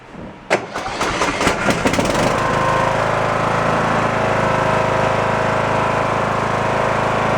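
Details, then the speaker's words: Kohler 20 hp single-cylinder engine on a Cub Cadet tractor cranks, fires and settles into a loud, slightly clattery idle; owner suspects an exhaust leak, possibly a blown head gasket, or that it needs the valves done. "Well, the motor runs, let's put it that way. It's a Kohler 20 horse single. I believe it has an exhaust leak. It sounds kind of loud."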